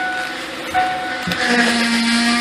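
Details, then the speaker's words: 2005-2007 Ford Five Hundred Duratec after power steering pump replacement, wheel turned lock to lock and held at lock: steady thin whine as air in fluid makes new pump moan. "make all kinds of crazy noise and you want to hold the wheel to lock and turn the key off and you want to hold it there for good twenty thirty seconds you got the highest amount of pressure when it's all the way to lock and then when you turn the key off it'll just start pushing out all kinds of bubbles"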